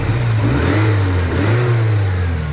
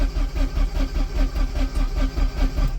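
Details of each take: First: Porsche 944 Turbo after fixes, with a new rotor arm (the old one had burnt out): a deep, even note revving cleanly through blips with no misfire or stalling. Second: Porsche 944 Turbo stranded after a breakdown: steady starter cranking at roughly 2.5 beats per second but it never fires. This is after fitting a new rotor arm and a swapped distributor cap, since the old rotor arm was cracked; spark was present on all four.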